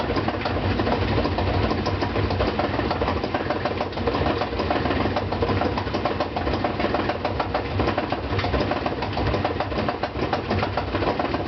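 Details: Brand-new GE washer (Sep 2012), spin cycle loaded with 2 blankets: heavy continuous thumping and rattling over a low drone, absent when empty and during wash and rinse.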